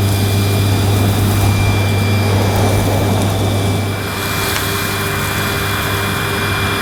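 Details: Panasonic MC-E862 bagged cylinder vacuum, bought new in box, picking up dirt on deep pile carpet: a steady, even motor whir with a low hum and constant airflow hiss; a relatively quiet, good performer running normally.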